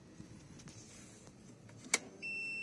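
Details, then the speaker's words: Range Rover Sport that cranks but won't start; it ran with the low-pressure pump bypassed. The tank fuel pump, wired directly, clicks and hums steadily but delivers no fuel pressure, even with the connectors swapped. "you hear that few pumps on got nothing at all not even the return line sorry the return line will never have nothing but i'm just saying off on no pressure just in case i've got it the other way around"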